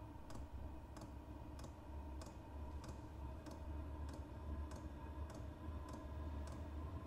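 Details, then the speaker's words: Vevor 5 kW diesel parking heater on dual Ryobi 18V One+ batteries, just lit on level one (low): steady sharp ticks about every 0.6 seconds over low fan rumble; normal running with fuel pump ticking, less steam when started on low. "no that probably sounds loud to you guys I noticed it's a lot louder on video than it is in person um if I had this in a van or a a shed or a garage that that fuel pump is negligible you don't even notice it"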